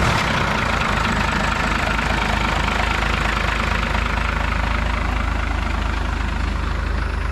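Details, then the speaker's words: 1992 Dodge W250 1st-gen Cummins diesel, hot-wired start after sitting a month (fusible link wiring issue): steady even diesel clatter settling into smooth idle, no misses or knocks; healthy cold start. "i touched the wrong wire together but i finally figured it out and it started right up"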